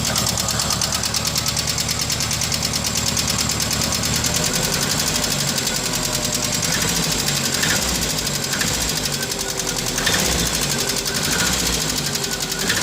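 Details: Renault R12, suspect engine noise: fast light regular ticking knock over busy steady idle; internal tapping, source unclear.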